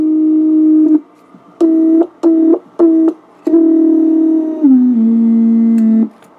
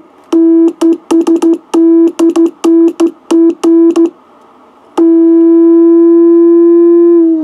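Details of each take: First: Original unmodified tube Heathkit VF-1 VFO keyed in tune position, heard through the receiver: buzzy keyed tone with chirps, clicks and low growl; mains hum from the 6-volt tube filament supply. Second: Heathkit VF-1 VFO converted to solid state, keyed into a receiver: keyed bursts of a pure, steady tone with no hum or warble, then a smooth held note while tuning; a clean, stable oscillator with less drift than the tube model.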